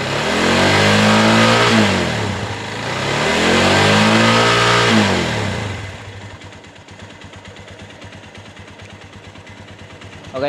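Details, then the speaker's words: Minerva MX 150 (old CBR model) single-cylinder motorcycle, flood-damaged and left for years, after full teardown rebuild with new standard Megapro piston: two smooth rev-ups then steady idle with even quick tick, no knock; now fairly smooth versus before, some vertical-piston roughness normal. "piston tegak atau piston vertikal seperti itu tidak bisa halus 100% apalagi hp-nya HP murahan jadi suaranya yang kasar dan yang halus kadang tidak terlalu beda lebih sama tapi ini sudah lumayan halus dibandingkan dengan yang kemarin"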